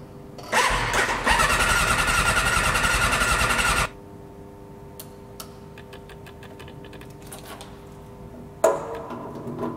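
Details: Suzuki RF600R motorcycle first start after winter storage, using a jump starter and brake cleaner; starter churns about three seconds without catching, pauses, cranks again: hard starting after storage.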